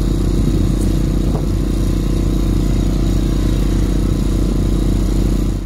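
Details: Quieted diesel generator in a bus RV conversion on external fuel, loaded alongside the old variable-RPM inverter generator: steady low drone with faint clatter on top, even and unwavering; normal running.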